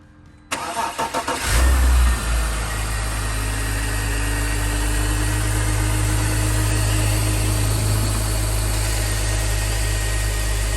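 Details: BMW X3 E83 after replacing the serpentine belt to fix a charging fault that drained the battery: quick crank, engine catches and settles into a smooth even idle with no belt squeal or chirp; running healthy.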